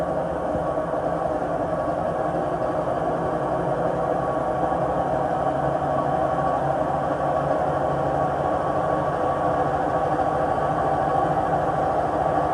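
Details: Samsung WW80J5555FWEU 1400rpm washing machine, 6 years old: steady, coarse rumble with a rough grinding edge through the spin; worn drum bearings suspected, not confirmed.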